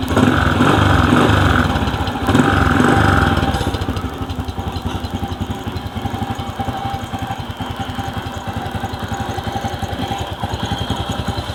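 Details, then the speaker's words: Suzuki Bonus Sport SR small kick-start motorcycle, stored about a year, after reassembling the magneto-side cover: even, steady putter at idle, the knocking at the magneto gone. "Okay mga boss ig na yung andar niya wala na yung kumakatok dito sa may Magneto na siya ngayon"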